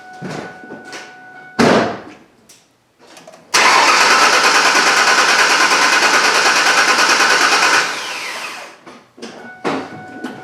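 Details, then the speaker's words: 1998 Ford Ranger 3.0L V6 with cylinder 2 misfire, no code: starter cranks with steady even churn, no sign of compression issue in cylinder 2. "so hopefully you can hear that and actually I'm I'm happy to hear that because it did not sound at all like I had a compression issue in the number two cylinder"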